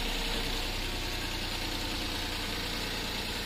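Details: Suzuki DA64 minivan, K6A engine, after replacing the bad ignition coil: even, steady idle with a bit of hiss, no stumble or shaking, rpm still slightly high; misfire fixed.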